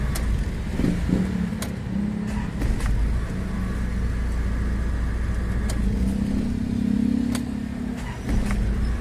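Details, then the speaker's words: Isuzu Trooper diesel after fixing a leaking No. 3 fuel injector that caused hard starting and misfiring: starts on one click and settles into a steady, even low idle with light clicks and rattles; healthy, and the idle is stronger than before. "check ko naman diyan maig yung starting niya before kasi mga boss hard starting talaga itong sasakyan dahil nga yan sa tagas ng fuel injector nakita niyo naman mga boss one click na o"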